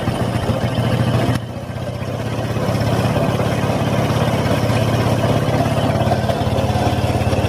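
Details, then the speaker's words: Honda Supra X 125 idling: rough metallic rattle and scrape from inside the clutch case, louder and harsher when ridden; the clutch housing or clutch bell is suspected. "nah seperti itu ya bunyinya ya teman-teman seperti bunyi krucuk di itu kendalanya dibawa jalan itu semakin dasar bunyinya"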